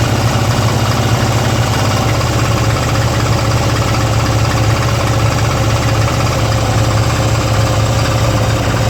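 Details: 2002 Harley-Davidson Twin Cam Ultra EFI V-twin at idle: lumpy idle with a rough mechanical clatter over the thump; abnormal engine noise, cause unknown.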